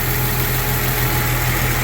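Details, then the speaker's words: 1999 Jeep Cherokee after engine rebuild, about 10 minutes into break-in run: even, quiet, steady idle with no knocks, ticks or misses; good oil pressure, crankcase vacuum now present (no blow-by), no leaks, coolant topped off. "Still running really good. No leaks that I could see, which is great. Just topped it off again with coolant here. Nothing sounds crazy. It's got very quiet actually."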